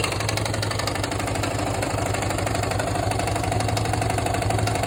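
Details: Yamaha XT/TT600 single with a new piston and a renewed Nutenstein (slot nut) fitted, idling steadily with a sharp, regular knock about three per second on each firing stroke; cause still unknown.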